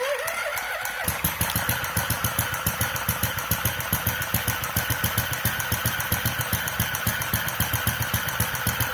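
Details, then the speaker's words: Restored Centaur model engine with electronic ignition, fuel injection, electric start and pumped cooling, just started: quick steady beat about four per second over a high even whine from the toothed belt driving the generator, which also serves as starter motor; battery at 13.8 V. "That whining noise is an unfortunate side effect from the use of a toothed belt."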